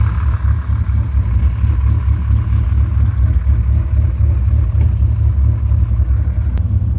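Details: Rebuilt Dodge Viper V10 running after rebuild, earlier valve cover spacer and heater pipe pinhole leaks fixed: deep steady rumble with even beat, no knocks or ticks; engine sounds healthy.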